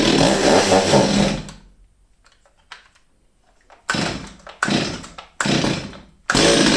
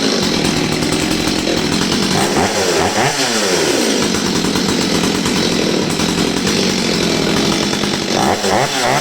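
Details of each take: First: Old STIHL 023 chainsaw, sat unused over two years, fresh fuel, started with brake on: revs briefly then falls away and nearly dies, fuel starvation; suspected stuck carburetor, damaged fuel line, fuel filter or diaphragm. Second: Old Stihl 023 chainsaw that sat about two years, after air filter refit, refuelling and carburetor screw adjustment: high, hard two-stroke scream rising and falling cleanly with full throttle, no bogging or stumbling, running healthy.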